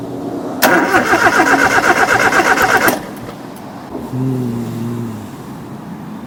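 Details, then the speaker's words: Nissan CA18DET swap: the starter cranks with an even churning beat for about two seconds, the engine barely catches, then drops away. It starts but won't keep running. The owner wonders if something wasn't tightened; cause unconfirmed, oil leak also noticed. "Now that it's in, it seems to not want to run."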